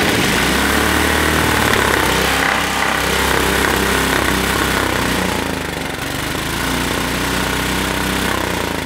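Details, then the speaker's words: Tecumseh 6.5 hp go-kart engine revved hard after freeing up the air filter: a rough popping bark that hits a ceiling, spitting back through the carburetor. Suspected valve float from weak valve springs, not confirmed. "i hear it spitting back through the carburetor i think it's got valve float so it's just the valve springs just that bad it might be"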